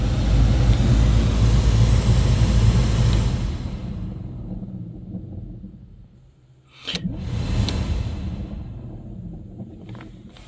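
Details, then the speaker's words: VW Polo cabin blower motor, relay inside not switching on with ignition on: deep uneven rumble pulsing about four times a second, fading and returning; possibly a broken internal gear. "It hears inside of that there is some weird noise. Let's listen it again. Yeah, this is a good indication that maybe some gear, if it has some gear inside, it gone broken."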